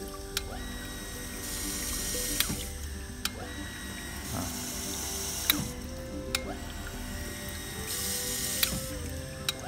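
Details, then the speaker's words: Sanyo PH137AC water pump on negative suction, taps opened: cuts in and out every few seconds with a soft click and smooth hum, no rapid chattering thanks to the white accumulator tank; normal pressure cycling. "Nyala matinya masih halus ya, nggak kasar, nggak tek tek tek tek tek. Itu karena adanya akumulator yang putih ini, tabung putih."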